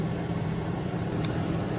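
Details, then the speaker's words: Main living-area AC unit on a 2018 Heartland Sundance 3700 RLB RV: steady, even fan rush with a low hum and no compressor click or kick-in. Only room-temperature air comes out, so the fan runs but the compressor does not start; cause not confirmed. "Okay, so you can hear it's blowing out the just whatever, room temperature air. It's not cold. And it's not clicking on to start anything else. It's not starting."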